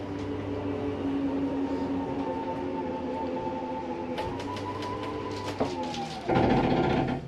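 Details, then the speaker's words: Wildwood 26TBSS travel trailer slide-out: a steady motor hum as the slide runs out quickly, then a short harsh grind at end of travel. This is normal; the slide mechanism is keeping itself from sliding too far. "i wanted you to hear that little grinding noise and let you know that that's okay that's just a slide mechanism keeping itself from sliding too far"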